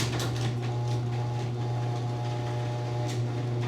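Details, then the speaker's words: Garage door rattles and clicks over a loud, steady low opener hum; worn hardware such as pulleys and rollers is suspected, not confirmed. "If they're worn, the door's gonna work horribly, it's gonna sound terrible, and you're not gonna be happy."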